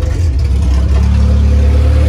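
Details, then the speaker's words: Honda B20 in an EF Civic build, running after a wiring fix to the fuel pump and distributor, with a fuel leak found. Deep, steady, smooth running without knocking or stumbling sounds healthy. "the car runs sounds good so i am happy at where i am with the car at this point"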